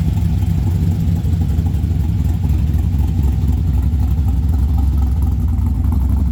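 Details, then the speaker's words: 1963 Chevrolet Nova SS convertible on very first startup after build: deep slightly lumpy burble holding steady idle, no knocks or miss; good fuel and oil pressure, no leaks, still running a bit rich. "That was just our initial turn it on, make sure we're not going to burn it up. Sounds good. Still gassy, but she's learning."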